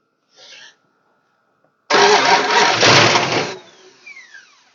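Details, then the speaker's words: 1969 Imperial LeBaron off the road over 30 years, plugs refitted: short crank, then catches and roars about a second and a half before dying. Starts then stalls; owner suspects it burned through its supplied fuel. "I can't believe that thing would have chewed through that much fuel already"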